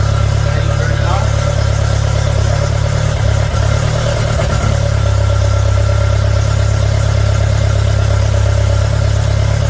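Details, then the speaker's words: TVR Vixen Super Sprint Spec on first start after engine rebuild, carbs still needing tweaks, exhaust manifold glowing cherry red; lumpy, uneven idle with a hard crackly exhaust edge; timing light showed ignition too advanced. "we chucked the timing light on and the ignition timing is a little bit too advanced so we pulled it back to where it should be"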